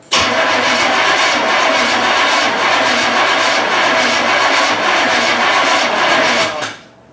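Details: 1981 Pontiac Trans Am Recaro Turbo Pace Car sitting about six years, after fuel pumped into the carb and filter filled: steady fast starter churn about four turns a second for six seconds, never catching; cranks but won't start.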